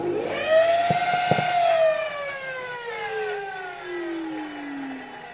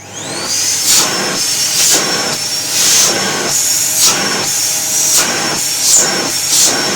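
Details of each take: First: Samsung SC6650 1800 W vacuum cleaner clogged with construction dust: loud whine with sharp crackling pops from an arcing motor, pitch sliding down as it winds down; motor needs replacement. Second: Samsung SC6650 1800 W vacuum cleaner, after repairing a noisy, humming, sparking motor: a steady high motor whine with even airflow hiss; it runs smoothly and normally.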